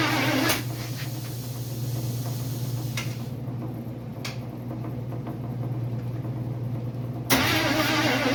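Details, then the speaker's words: Freshly built 350 Chevy first start attempt, fuel fed from a bottle; starter drags slowly and unevenly under a low hum, never fires, battery flat: slow cranking from weak battery. "Battery's dead. Damn it. Alright, put a charger on it for a bit."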